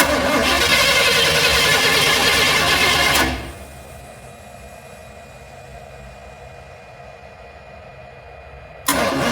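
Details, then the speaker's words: Engine with a rebuilt Holley carburetor and a weak regulator giving about 7 PSI fuel pressure: runs loud and rough, then drops to near quiet before catching again, won't hold idle; stalling from fuel pressure regulator and carburetor problems. "I got about 7 PSI. This little crappy regulator as far as I can get. Let's see what's going on with this thing. Won't stay idling again."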